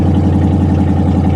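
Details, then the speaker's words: Pontiac G8 GT V8, tuned, exhaust cut off, at auction: harsh, loud, raw idle with rapid uneven low pulsing from open pipes, raw fuel smell; quiets down a little after startup. "there we go show quiet down a little bit so somebody's cut the exhaust that is wonderful"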